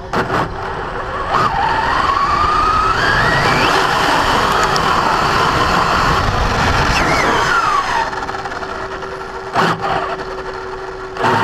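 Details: Brand-new Basher Nitro Circus 4x4 1/10 RC truck on a 3S 4000mAh battery: motor whine rises and falls with throttle, with a rough grinding rasp while accelerating. Only happens under acceleration, not in reverse or off the ground. Gear mesh adjustment didn't help.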